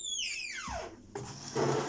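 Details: Older LG washing machine with belt (indirect) drive: loud high squeal sliding steeply down in pitch, then rubbing and rumbling; owner suggests bearings but the cause is unknown.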